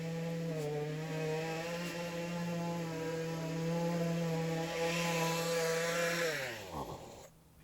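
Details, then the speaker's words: Discarded two-stroke weed eater, first revival; buzzes at high, steady speed, then drops and dies; choke pops off on throttle and idle falls too low, owner suspects high and low needle jets need adjustment: running too fast. "but as it stands right now i can use it as is just really high"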